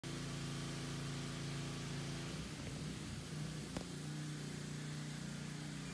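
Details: 2016 Dyna 103 Street Bob FXDB, stored since 2018 at 212 miles, stolen and recovered in 2022 unstarted, on its first start in years after a few simple repairs: steady, low, loping V-twin idle, even beat, no knocks or ticks, normal idle.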